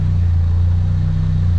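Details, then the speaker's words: Toyota MR-S with big-turbo 1.8 20V swap and Ignitron ECU, next day warming to temperature with coolant in, no leaks, good oil pressure: smooth even low idle hum, no knocks or ticks; normal idle. "the car's running via Ivan just letting it get at the temperature um I've got coolant in it and all that there's no leaks no nothing engine seems fine good oil pressure all good"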